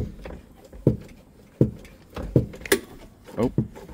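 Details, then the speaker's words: 1978 Datsun 280Z after replacing and bleeding clutch hydraulics: uneven dull clunks roughly once a second as the pedal is worked; owner thinks the pressure plate is loosening up after a few presses, cause unclear. "Sounds like after pressing it a few times, we already started to loosen up the uh pressure plate."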